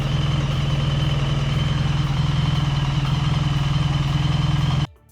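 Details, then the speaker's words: BMW R 1300 GS boxer twin after running-in, now idling smooth and even with no metallic ticking after dealer corrected valve clearances. "as you can hear sounds absolutely perfect so there you go guys when your bike's been run in things do move"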